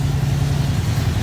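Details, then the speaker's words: 1954 Ford F-100 V8, sat a long time, started after choke released too early stalled it; low steady burbling idle with even firing pulses, no knocks or misses; normal idle. "so now we all know she runs great"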